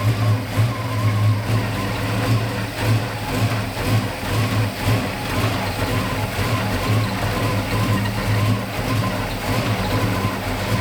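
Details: 1969 Dodge Charger V8 that sat 34 years, post cam swap, likely still on break-in oil, timing never dialed in, carburetor acting weird: revs unevenly with a lumpy, stumbling beat about once a second under music; runs rough, cause unconfirmed.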